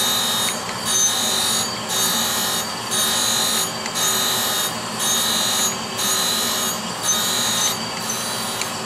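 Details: Brown and Sharpe 510 Micromaster surface grinder with Walker 5x10 permanent magnetic chuck grinding a steel part; smooth, steady high wheel hiss rising and falling with each table pass, spindle bearings sound healthy, normal running.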